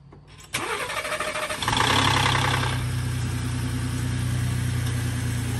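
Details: Early 2018 Ford Expedition MAX, 3.5L EcoBoost twin-turbo V6 with Whipple upgrade and tune, about 500 hp; cold start cranks and catches, rattling harshly about a second before steady idle; owner suspects cam phasers.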